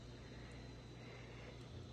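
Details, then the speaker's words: Newly bought Steam Deck: a quiet, steady low hum with a faint, thin high whine riding on top, coming and going mainly while it downloads games; cause unknown. "but it's a sound it's mainly when it's downloading things it makes that noise see now it's stopped oh now it's back"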